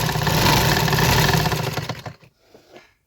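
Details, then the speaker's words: Sewing machine before home service and oiling, running with rough stitching: fast, loud, dry rattling mechanical chatter at about four beats a second, then winding down; owner suspects it needs cleaning and oil, not confirmed. "ये इसका बखिया check कर लें, बहुत ही rough बखिया है और आपकी इस सिर्फ सर्विस की वजह से ना, ये आवाज़ चेक करें इसकी ज़रा।"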